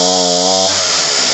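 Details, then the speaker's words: Homelite 3514C chainsaw fired on full choke, primed, hums then collapses into a falling buzz; bogs out on throttle, lean high-speed mixture, high screw to be turned about a quarter turn counterclockwise. "And it bogs out. So we're going to reach in here to the high end."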